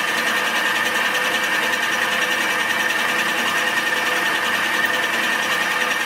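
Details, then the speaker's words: Modified bandsaw making a cut: steady, clean high-pitched singing with an even texture throughout; the tool is sharp and cutting properly. "I can hear it is cutting. I don't know if you can hear it, but I begin to can hear when it is cutting and when it is dull or not cutting."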